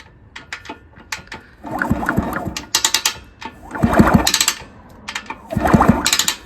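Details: 1974 Indian SE74 dirt bike, Minarelli P4-70 engine, sat about 30 years, kicked over: uneven dry crunching in bursts with each turn; something grinding on cranking, cause not yet found.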